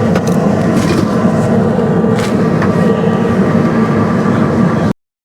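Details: 2017 Central Boiler Classic Edge 550 outdoor wood boiler, after replacing the rickety-sounding combustion draft fan: smooth, constant whir with a steady hum, no rattle or scraping; normal blower operation.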